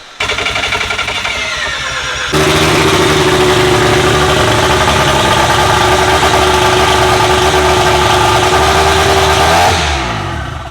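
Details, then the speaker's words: Engine holds a steady fast idle for several seconds, then sags and dies out; fuel pressure was lost because the fuel pump failed, after an earlier backfire. "well we got no fuel pressure that was the longest it's run yeah and then we lost fuel pressure damn it damn the fuel pump died"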